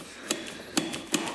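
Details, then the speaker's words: 2005 Suzuki RM-Z450 dirt bike that would not start for four years, engine off: four crisp metallic clicks as the throttle is snapped shut, carb slide dropping freely to the bottom of the carburetor. "and you've got the throttle you can hear the slide hitting the bottom of the carb"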